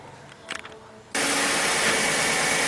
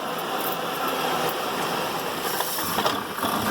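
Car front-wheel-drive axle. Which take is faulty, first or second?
second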